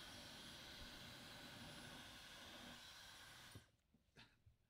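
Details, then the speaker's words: Dyson Supersonic HD01 hair dryer that had only flashed three white lights, now fully reassembled: smooth high-pitched whine with steady airflow hiss, no rattles or grinding, then it switches off and winds down. Running normally. "I mean that's a working hair dryer I guess"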